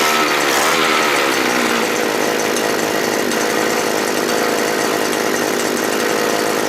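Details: Small two-stroke earth auger engine after carburetor replacement, previously starting hard and dying when throttled: high steady buzz holding even pitch with no surging, stumbling or cutting out; normal running after repair.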